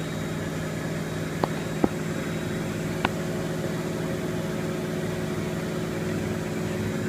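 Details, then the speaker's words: Miele W562 Prestige Plus 6 washer on Cottons 60°C with Water Plus, final spin climbing past 900 to 1200 rpm: steady even hum with no thumping or wobble, only faint ticks; normal balanced high-speed spin with almost no vibration. "it's actually pretty balanced I say something myself like literally there is pretty much no no vibration at all"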